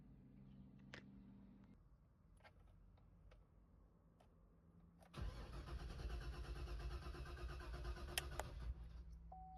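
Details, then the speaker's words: 2011 GMC Yukon XL with a reportedly replaced fuel pump: steady, even cranking for about four seconds with no firing. The fuel gauge reading is suspected. Crank no start. "Yeah, definitely confirmed crank no start."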